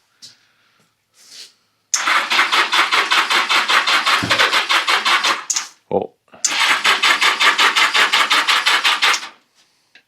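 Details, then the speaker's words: 1982 Yamaha XJ650 Seca unstarted for 4½ years, cleaned plugs refitted, brake parts cleaner sprayed into the intakes with pod filters on; steady cranking about three turns a second, faint catch, no run: cranks but won't start. "Moment of truth here. 4 and 1/2 years. Ain't fired."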